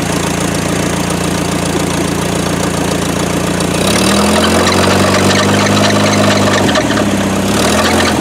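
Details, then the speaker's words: First start after 17 years of sitting: steady idle with repeating deep knock about three to four per second under fan noise; suspected rod knock, not confirmed. "That sounded like a rod knock."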